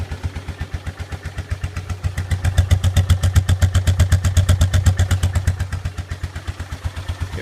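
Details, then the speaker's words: 2001 Polaris Trailboss 325 ATV after loud muffler fix, cold morning, choke on, warming up: even steady exhaust thump about four beats a second, clean quiet idle with nothing rattling; sounds better as it warms, much quieter. "the quad's just warming up it's pretty pretty cold morning here but uh yeah it sounds it sounds better as it warms up"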